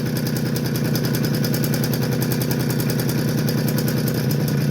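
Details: Suzuki LT50 two-stroke quad idling with a rapid, uneven burble around three and a half beats a second and some smoke; rough, weak idle. It bogs and cuts out once warm after a few minutes. The crank seal was replaced, but the fault remains. Owner suspects low compression or a crank seal leak drawing gear oil.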